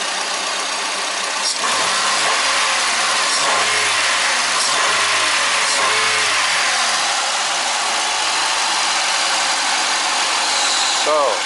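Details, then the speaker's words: 1998 Ford Escort at first start after installing a rebuilt head (intake valve seat failure with piston damage) and new rod bearings: fresh start with a slight early rev, settling to a steady quiet idle with no ticking or knocking. Runs smooth, no leaks. "see it happens when I fire it up well we got a run in it's pretty good no leaks things real pretty smooth"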